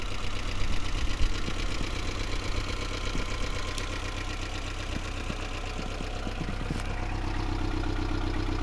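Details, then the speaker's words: 1992 Toyota MR2 Turbo (SW20), 85,000 km, Japanese auction car: low idle thrum lurching unevenly with irregular ticks and dips; stumbling idle, possibly misfiring, valves also sound noisy. Cause not confirmed. "The engine is a little bit stumbly. It looks like it's possibly misfiring."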